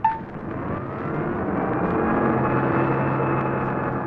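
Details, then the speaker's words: Car with an eight-tube radio, engine running and radio on: a steady whine that swells with engine speed, gone when the ignition is switched off; generator interference, and the generator condenser should be checked. "Now turn off the ignition wall. Noise is gone, isn't it? You know what it was? H sounded like the generator right on the headwalk. And there are several things you might do to eliminate this generator interference."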